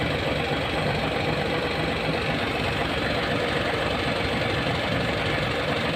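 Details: Hino 700 with E13C diesel, low power, rough idling and hard starting: idle with a lumpy uneven beat about once a second instead of a smooth drone; misfire from malfunctioning injector #5.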